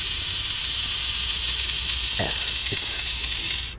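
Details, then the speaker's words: Battery watering-system programmer switched on for the first time with batteries just fitted; steady high buzzing hiss for almost four seconds with soft clicks, then cuts off, normal power-up actuation of the tap valve. "yes, and when we hear the sound, it will be turned on. Alright, so I guess it's turning on."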